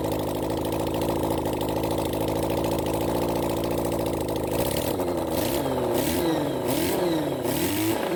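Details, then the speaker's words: Honda CB400 Four engine on a bench run during carb balancing: idle with a lumpy, uneven beat and a stumble every few firings, still ragged after blips; a misfire that appeared suddenly, blamed on one faulty ignition coil pack. "you'll probably he this bik got quite a bit of a misfire suddenly it picked up uh it's just a one coil pack here"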